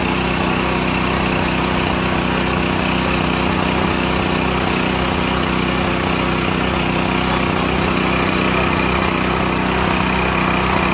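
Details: Used Stanley 8000 W all-weather generator, sat four years, running after a starting-fluid start, choke off; steady, even drone at constant governed speed, no misses, knocks or hunting, normal running.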